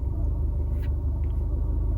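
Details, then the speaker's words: Cat S Fiat 500 Lounge idle after repairs, lambda reading still swinging system rich/lean: low idle rumble with an occasional sag; far less severe than before, needle no longer going wild and no stuttering toward a stall, but idle still hunting and not right. "it's that it is nowhere near as bad nowhere near as bad it's not the needle's not going mental like it did before and it's not stuttering to a to a stall like it did before but it's still not right"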